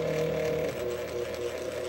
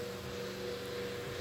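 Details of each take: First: Old electric fan: strained, wavering motor hum sagging and surging in fits and starts with horrible noises; owner first suspected a stripped gear; fan motor possibly running rough on dry bearings. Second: Electric fan that had made horrible noises and ran in fits and starts, with a suspected stripped gear, after oiling: smooth, steady mid-pitched hum with no scraping or stuttering; normal running.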